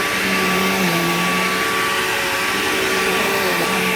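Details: Bissell PowerGlide Platinum 3545-2 upright vacuum, acquired around 2018, running: a steady roar with a thin whine on top that wavers up and down in a wah-like way. Owner calls the noise bizarre and does not know its cause.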